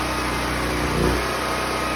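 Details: Predator 6500 watt portable generator running at an even steady speed with no load during cool-down, no stumbling or sputter yet; fuel supply just shut off before shutdown.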